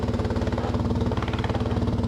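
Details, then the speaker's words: BMW motorcycle, start after starter reinstalled and flywheel torqued: louder-than-normal lumpy idle with a tinny buzz on each firing pulse, because the muffler baffle is falling apart with pieces hanging inside; the starter sounds as it should. "this is a bit louder than normal because the baffle is falling apart you can see pieces of it"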